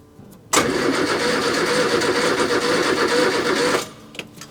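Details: 1970 Morris Minor Traveller after spark plug cleaned: starter spins evenly about three seconds without a single firing pulse; cranks but won't start.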